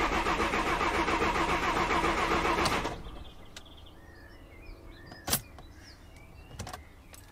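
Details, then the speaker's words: VW Crafter diesel van in neutral, after dropping the fuel tank and fitting an auxiliary heater fuel line, lines primed; steady fast cranking whirr about three seconds without firing: cranks but no start, connection by the fuel filter suspected not reconnected. "it sound like it's starting to me is the fuel gauge running no go back under the van and double check all the lines are connected"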